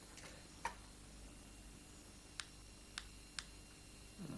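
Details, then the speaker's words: Clicks roughly once a second from a GM tube wired to a loudspeaker in a quiet room, registering background radioactivity in the air; the tube is then aimed at a fish sample. Geiger counter clicks from radioactive sample. "ioaktivt i luften, då knäpper det till. Till så här. Men det betyder att det är radioaktivitet i luften här då."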